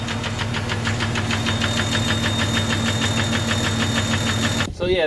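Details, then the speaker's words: Jeep Cherokee 4.0 inline-six, about 225,000 miles, recorded before removal: sharp metallic knock about twice a second over a rough idle, first taken for a nasty lifter tick; teardown found piston damage. "had a really bad ticking knocking grinding sound whatever you want to call it when i pull it on the slab"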